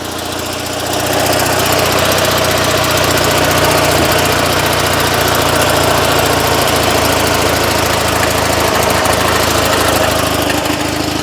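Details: Invacar two-stroke, sat for months since about March or April, jump-started from a nearly flat battery, oil pressure present, on choke: catches within a second, rises to busy even putter and holds it; normal start and idle.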